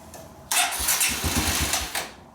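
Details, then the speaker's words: 2017 Kawasaki KLX140 dirt bike after clutch-side cover reinstall, choke on and fuel petcock open; brief cranking that never catches, reluctant to start, so jump pack hooked up. "let me get the jumper just being a little stingy this morning so let's hook up the jump pack"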